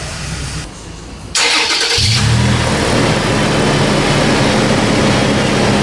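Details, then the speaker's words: 2012 Toyota FJ Cruiser with new MagnaFlow cat-back exhaust replacing rusted OEM system: fires after brief crank into smooth deep idle, no rattles or leaks; normal exhaust at idle. "Sounds good. I like it. It's got a little more note to it. some throat. Doesn't drone out and get weird."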